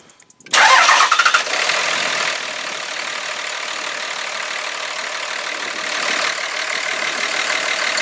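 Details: 5.9 Cummins diesel pickup starting on a cold day after a fuel filter change: quick crank, clean catch into steady, even idle with no stumbling; normal start and idle.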